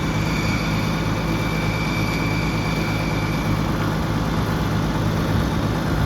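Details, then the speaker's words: Gas Oliver Super 77 tractor running at steady idle after plugs cleaned and points filed; thin constant high-pitched whine over the engine, owner thinks it's the alternator. "I think that's the alternator clean the plugs file the points and that's about it"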